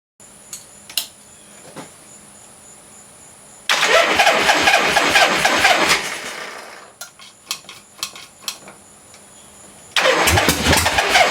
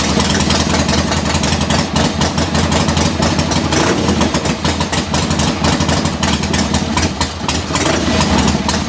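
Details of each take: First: 1976 Harley-Davidson Ironhead Sportster with new points, condenser and timing advance: engine cranks, catches briefly and sputters unevenly before dying, then cranks again. Hard starting and rough running because static ignition timing could not be set correctly with the new parts. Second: 1976 Harley-Davidson Ironhead Sportster V-twin after static timing was reset with new points and condenser, cold start in neutral, mixture screws out about 1¾ turns: catches and settles into a loping, slightly uneven idle with a few throttle blips; normal idle.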